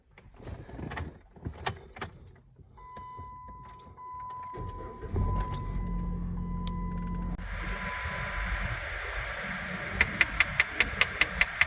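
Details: Jeep Patriot HVAC: rapid, even clicking behind the dash over blower fan noise from a faulty blend door actuator, common on Chrysler, Dodge and Jeep models.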